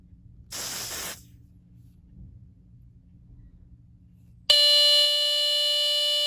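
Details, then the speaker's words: Sears 57002 smoke alarm (rebranded My Guardian), fresh battery after a dead one, tested with smoke spray: brief spray hiss, then loud steady high-pitched alarm; works, though test button contacts are unreliable. "as you see still works just the test button contacts doesn't like to work on it sometime"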